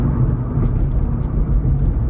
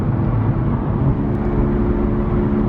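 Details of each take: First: Honda Civic after wheel bearing replacement, driving at 40 mph and through a turn: steady low road rumble with no humming or growl from the wheels; bearings quiet and healthy. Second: Honda Civic driving. Above roughly 33 mph a steady low hum drones under the road noise; one wheel bearing is believed shot: wheel bearing hum.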